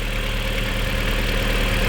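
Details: VW Golf 4 GTI 20-valve turbo, after full service and valve cover gasket replacement with coils refitted: smooth, even low idle with steady deep hum, no knocks, ticks or misses; runs cleanly.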